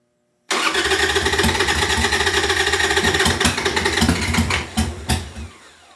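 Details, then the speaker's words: 1998 Harley-Davidson Sportster unstarted for over a year, new lithium battery, stale gas and a dirty fuel filter: long steady crank with a few stray pops, catching briefly but never running. Owner suspects flooding. Nearly starting. "We're getting closer. And I'm cranking away on this battery and she's holding up good."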